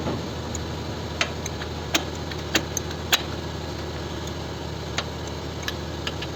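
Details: Kia K5 engine knocking: sharp metallic knocks about every half second over a steady hum; found the intake cam phaser (VVT clutch) not locking, letting the intake camshaft move freely.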